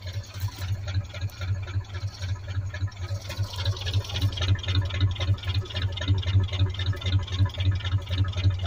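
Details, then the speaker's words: 1985 Chevrolet Suburban first started after long sitting: deep, slow, even V8 lope at three to four beats a second, idling lower than it should; idle speed set too low, needs adjustment. "just love that sound she's idling low boy have to adjust that"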